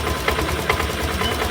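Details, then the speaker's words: BS6 scooter with hard self-start from low idle (spec about 1400–1500 rpm via OBD), started and idle being raised by turning throttle-body air screw anticlockwise: quick even beats, steady, no misfire; normal idle. "ಇಲ್ಲಿ ನೋಡಿ ಪರ್ಫೆಕ್ಟಾಗಿ start ಆಯ್ತು. ಇವಾಗ ಇದನ್ನು idling rice ಮಾಡ್ತಾ ಇದ್ದೀನಿ"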